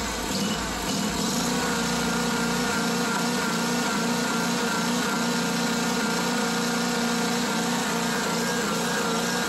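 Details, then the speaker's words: Small mower engine surging at idle, uneven hunting note; smooths briefly when carb cleaner is sprayed around carburetor/intake gaskets, then idles erratically again; vacuum leak at carburetor, here a missing welsh plug. "notice how it Smooths out as I spray the carb cleaner around these gaskets then it goes back to idling erratically"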